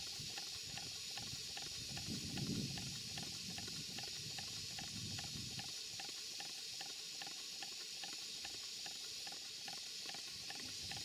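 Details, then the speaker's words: Stuart twin 5A model steam engine, two 2¼-inch cylinders, on a Castle Steam V6 boiler with small gas burner, running slow but continuously; soft steam hiss, faint ticks twice a second, normal slight clunk from double-chain sprocket coupling play between crankshafts. "there is always going to be a slight clunk with this engine it's the way the two engines are coupled together this coupling is not solid it's just a double chain on a pair of sprockets"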